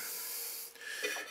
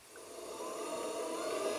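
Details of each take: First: Cheap Chinese pottery wheel whose wheel head is about an inch and a half larger rubs on the splash pan's joining spigots. Dry, wavering scraping noise; later fixed by heat-gunning the spigots down. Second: Cheap Chinese belt-drive pottery wheel (Vevor-type) with aluminum wheel head, sped up by foot pedal, rated up to 320 RPM. Clean whine climbs smoothly with no grinding or knocking: normal motor run.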